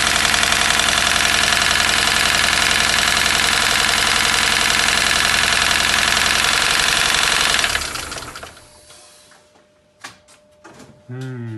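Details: Mini Cooper S R53 petrol engine idling, knocking steadily about four times a second over a loud whirring; the noise persists after the timing chain tensioner and timing kit were replaced, cause unknown.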